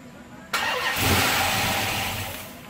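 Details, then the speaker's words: Rebuilt 5.7L Hemi just installed in a 2005 Chrysler 300C: cranks, catches, flares briefly, then revs sag and it dies; cause found to be the MAP sensor on the back of the intake manifold left unplugged. Stall after start, disconnected MAP sensor. "I figed F out what the problem was there was a sensor on the back of the intake manifold called your map sensor that just wasn't hooked up that was it"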